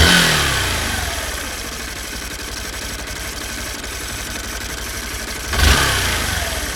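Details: 2016 Honda Bros 160 single: after a worn piston was found following the 6,000 km service and replaced with original parts, a new, louder internal noise appeared. Idle shows a fast, dry mechanical clatter, plus a throttle blip; cause not pinned down.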